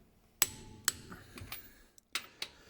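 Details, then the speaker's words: Ford Focus Mk3.5, wheel on the ground, torquing wheel nuts after checking a left-front squeak and judder: several sharp metallic clicks as the torque wrench breaks over at the set 135 Nm; normal torque wrench click. "And when I get to the correct torque, you'll hear that click, which means that the wheel is now at 135 newton meters."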